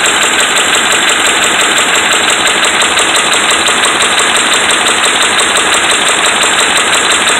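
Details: Dodge Ram 5.7 Hemi V8 held at raised rpm with steady metallic knocking over the engine drone and no letup, from bad connecting rod and crankshaft main bearings.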